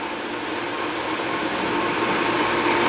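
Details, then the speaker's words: Sta-Rite Max-E-Glas II pool pump just fitted with a new motor after the old motor's bearings failed and it screeched: a smooth, steady whir with a soft rush of water and no grinding or squeal; running quietly and normally. "So you can hear it's running nice and quiet."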